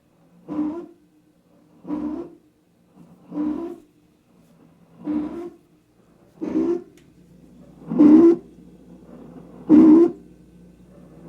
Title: Noisy fridge that woke me up @ 3am